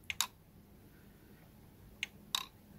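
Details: Pioneer PD-S503 CD player, newly arrived: disc spins freely by hand, spindle motor not locked, yet pressing play gives a few sharp mechanical clicks with no motor hum; disc not spinning up.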